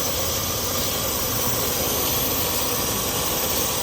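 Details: Acura bought at auction, leak test before AC recharge, engine idling: steady even high hiss without pulsing; refrigerant leaking from a cracked AC high-pressure hose.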